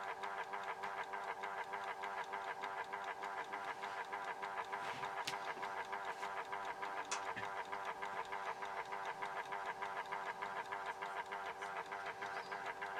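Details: Horstmann VA Mk9 SRS2 rate changer time switch, 240V 50Hz synchronous motor, repowered with case back on: loud steady whirr with fine even ticking, no stumbles; the case barely quietens it; normal.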